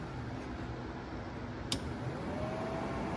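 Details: 1972 Mustang R-code heater blower motor with new switch, heater box removed, first power-up; soft even fan rush with a switch click, no rattle or whine: blower runs smoothly on low.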